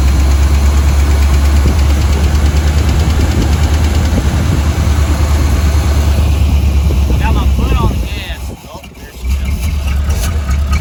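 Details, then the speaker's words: 1985 Chevy C10 305 V8 with new distributor, vacuum lines taped temporarily: loud heavy V8 runs with an uneven lumpy beat, no backfire pops; owner suspects fueling, carburetor or vacuum. "that gives me f because it's not backfiring and it's starting up good now it could be fueling could be carburetor vacuum whatever"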